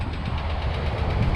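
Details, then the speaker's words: 1975 Pontiac LeMans V8, after 15+ years parked, idling with a fast light tick over the low rumble; owner suspects an exhaust leak, possibly always present, cause unconfirmed. "I think it always had that noise though we'll just say we'll just say that that's what it is"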